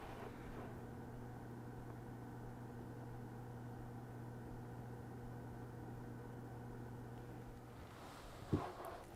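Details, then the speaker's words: EVGA W2 600W 80 Plus PSU, 120mm temperature-controlled fan, recorded from the exhaust side. A quiet steady fan hiss carries a constant low resonance hum of unclear cause. The owner suspects the little plastic guards inside the supply. "There is some odd resonance coming from it, which I can't quite put my finger on. It sounds like possibly some of those little plastic guards that they have on the inside of the power supply."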